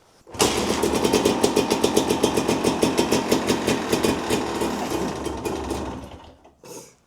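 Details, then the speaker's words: Honda CRM250 AR two-stroke, not run for a while, cold start on manual choke with manual fuel tap: catches quickly, fast uneven popping for about five seconds, then sags and dies. "Well, it runs. Yeah, choke will be down."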